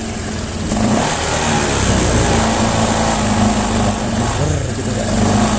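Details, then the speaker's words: Honda Vario 125 scooter revving: engine rises and falls back with a brief sag, still hesitating on initial throttle after injector, throttle body and filter cleaning; TP and module reset to follow. "Karena sebelumnya injektor sudah dibersihkan, dan saat servis saya juga membersihkan filternya, tetapi masalah tersendat-sendat masih ada , masih belum hilang."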